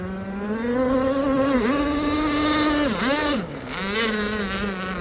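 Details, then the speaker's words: Aeromarine Avenger 44 RC boat, Zenoah 29cc two-stroke, steel Gizmo pipe, first run on a ~66 mm ABC prop: high steady buzz that dips and stumbles a few times mid-run, a brief sputter under load. "Oh, we had a little sputter there."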